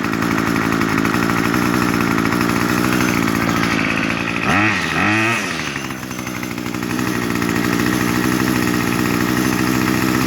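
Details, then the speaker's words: New 2-stroke weedwacker set too lean at factory for emissions: idles steadily then bogs on throttle, revs surging and sagging instead of climbing; lean high-speed mixture, fixed by turning H screw left about a quarter to half turn. "So when you went to go squeeze the trigger, it would bog and die. So all I had to do was turn the high speed to the left about a half a turn, quarter turn, something like that, and then it ran perfectly."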